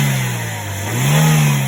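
Steady smooth idle that swells cleanly as the revs rise and settle, no knocks or rattles; a healthy engine.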